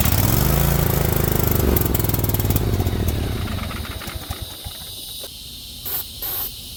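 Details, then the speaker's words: 50-inch Cub Cadet zero turn that sat a while fires on carb cleaner and runs rough for about three seconds, then chugs down and quits: the fuel shut-off solenoid isn't getting 12 V battery voltage. "It'll crank and start up and sound like it's going on carb cleaner, but then it won't continue running unless you have the solenoid opened up so that fuel gets down into the carburetor."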